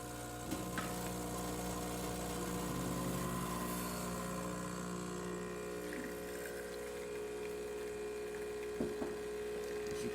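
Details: Isomac espresso machine after full service, including pump replacement, pulling a test shot: steady, smooth, even buzzing hum of the pump pushing water with no rattle or strain, normal operation.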